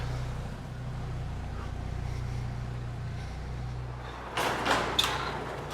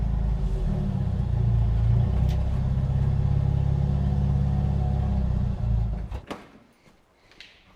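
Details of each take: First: Jeep YJ Wrangler idling after fitting a new quieter aftermarket exhaust: low, soft, steady exhaust hum with no raps, ticks or leaks; quiet and healthy, followed by door and handling noise. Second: Jeep YJ Wrangler four-cylinder at idle with exhaust essentially missing after the catalytic converter: deep, raw, very loud unmuffled drone.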